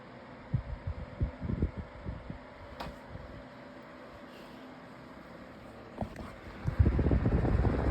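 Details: 2026 version of the Lasko 18-inch plastic table fan on medium speed, oscillating. Soft, steady whir with a few light knocks as the head swings; a click in the oscillation had been noted on low. Oscillation judged pretty good; normal running.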